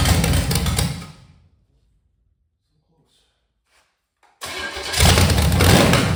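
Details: 1985 Chevy Camaro 400/406 small-block V8 on open headers, first start in over 20 years after reseal, plug wires rotated: drops away briefly, then catches and settles into a choppy lopey big-cam idle; runs healthy, timing still to be dialed in.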